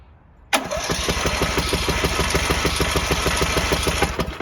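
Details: Troy-Bilt 7550-watt dual-fuel generator with a Briggs & Stratton single-cylinder engine, running on propane after fixing a faulty electrical connection that stopped the starter and carburettor solenoids: catches on the first pull and runs with a regular, even beat. Normal start and run.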